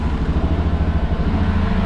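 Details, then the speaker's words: Freshly rebuilt Yamaha Rhino 700 single-cylinder on first run: steady, even low thump, idling a touch fast. Idle speed is set slightly high; it needs turning down and the throttle cable readjusting. "We need to adjust our idle down and then readjust our cable. I think she's still just a touch high on the idle."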